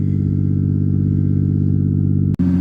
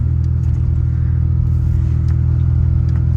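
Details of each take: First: 1988 Ford Ranger, in cab: loud, deep droning rumble at steady revs as muffler fell off, pipe cracked where it enters muffler and mounting bolts missing, probably broken below the passenger seat. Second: 1988 Ford Ranger after muffler repair (new bolts, cracked pipe at muffler fixed): deep, even exhaust rumble pulling away with no blat or ticking, much quieter, though a leak reportedly remains between catalytic converter and muffler.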